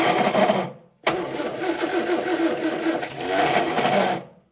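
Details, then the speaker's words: 1965 Morris Minor 1000 after 40+ years in a barn, carburetor just reinstalled; starter cranks in uneven bursts with ragged half-firings that never catch; plug leads suspected in wrong firing order, possibly not enough fuel; cranking but not starting. "So I don't think we're getting enough. It's trying. It is definitely trying its hardest. It will go."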